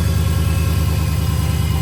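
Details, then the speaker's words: Dodge Hellcat supercharged V8 idling after the repaired supercharger was reinstalled: steady, deep idle with an even low pulse and no ticks, knocks or whine; sounds healthy, no issues. "Sounds real good. Ain't got no complaints over here, boy. He looked out for your boy. He got it sounding lovely."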